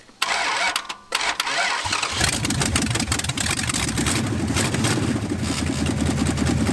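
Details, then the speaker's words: 1969 Dodge Charger engine abandoned for decades, mismatched heads and spark plugs, one piston broken, a valve broken off: cranks, catches and runs lumpy with ragged pulses, smoking heavily; rough running from internal damage. "it's smoking like a freight train but it ran two different heads two different style spark plugs one piston broken a valve broken off in it and it fired up and idled for the first time in decades"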